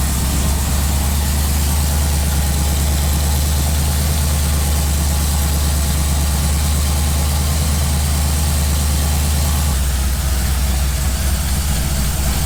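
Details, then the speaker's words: Firebird V8 after replacing ripped intake manifold gaskets that caused a big vacuum leak, and finding a broken spark plug: deep, steady idle at about 1000 rpm, even rumble, no misses or ticks; warmed up with thermostat open, a normal warm idle. "that's a thousand that's about a thousand that sounds way happier no driving vacuum leaks for good things"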